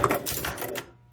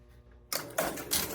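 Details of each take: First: Strato-Flight pinball machine: rapid burst of relay and stepper clunks under a second, then quiet after a ball return switch hit; score unit not staying down, seemingly retripping instead of latching, something in the switch stack suspected. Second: Strato-Flight electromechanical pinball machine, first power-on before any work; coin lockout heard, then sharp relay clatter and mechanical clicks as a game starts and scores. Sounds healthy.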